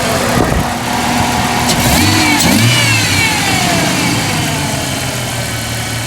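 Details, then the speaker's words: 1998 Jeep Cherokee XJ 4.0 at idle with no codes: the idle hunts up and down with a faint sputter. The throttle position sensor is suspected. "IceMan's idle is rapidly going up and down. I'll show you here."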